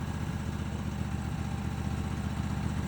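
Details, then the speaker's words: Vintage ARGO 6x6 Vanguard II amphibious barn find, long neglected, now running on a swapped non-stock Honda engine: steady low putter about four beats a second, even and unbroken, no knocks or misses, normal idle. "We got her running here with a non-stock engine. As you can see, the wiring is factory. But yeah, got her running."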